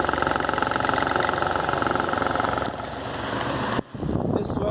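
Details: Arno Versátile fan rumbling like a tractor, throbbing about two to three times a second and shaking so the fan walks by itself. An unbalanced blade causes the vibration, which wears the shaft bushing faster.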